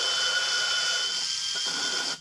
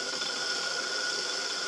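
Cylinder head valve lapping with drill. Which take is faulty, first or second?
second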